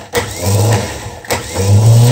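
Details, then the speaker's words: Starter from a 1974 BMW R90/6 airhead with slow cranking, bench-run on battery after WD-40: two short spins with a low motor hum, higher RPM than before, a faint thin squeal on top; dry bushings, not worn, no wobble. "so the RPM is already much higher less resistance but it's still squeaky in there so there's definitely some bushings dry not worn"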